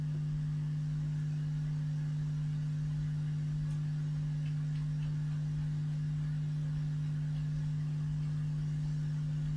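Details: Vintage 1970s Marshall 6400 mixer amplifier under repair: steady, unchanging low drone with nothing over it; mains hum through the amplifier output, with ripple seen at the output transistors.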